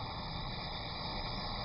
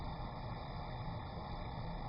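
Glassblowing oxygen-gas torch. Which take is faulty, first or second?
first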